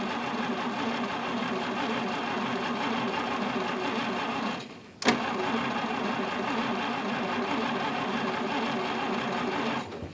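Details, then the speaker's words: 1950 Studebaker Champion, sat 40 years in a barn, 6 V system, new cap and coil, weak spark, gas poured down carb; steady rhythmic cranking with no catch or firing; cranks but won't start, owner suspects weak spark. "oh well no go yet but it's cranking and it had some sort of spark maybe it's just not enough"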